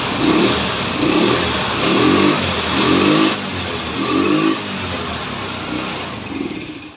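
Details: Carbureted Yamaha Mio stutters and surges unevenly about once a second, stumbling as the throttle closes; carburetor area suspected, also possibly vacuum, needle, spark plug or plug cap, before carburetor repair and adjustment.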